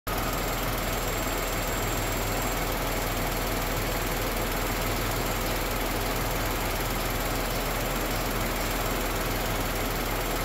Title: Tata Nexon (BS6 2020 XZA+S) Petrol Engine noise with and without AC unit turned ON comparison